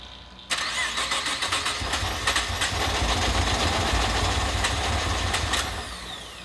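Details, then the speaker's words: Nissan GTR first start after six-week rebuild following a blown head gasket: starter spins the engine at a fast, even rhythm but it never catches; crank, no start. "so Junior's troubleshooting right now figuring out why it's not starting for the first shot"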